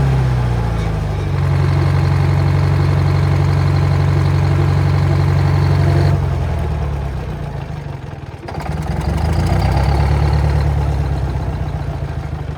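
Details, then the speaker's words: Old Detroit diesel on a rock crusher plant, first start in about 3.5–4 years after the starter solenoid was repaired: it fires right up and nearly runs away, then holds a steady, even low drone that dips and recovers smoothly with no knocks; runs normally. "That was going to run away on me there. Fired right up. I thought it was going to run away for a second."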